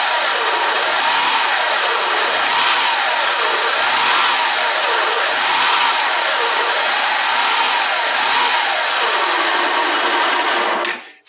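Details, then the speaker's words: Honda 160 motorcycle single-cylinder engine revving up and down in neutral, stationary, under a loud harsh top-end hiss from the cylinder head, not rocker tapping; also happens while riding; oil-starved cylinder head hiss. "sei se deu para ouvir aí o barulho certinho como está fazendo tá com chiado bem forte aí acontece em qualquer em qualquer."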